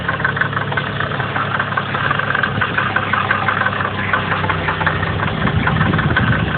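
At idle and light revs there's a fine, fast ticking tapping riding over the engine's hum; sounds like a knock, cause unknown.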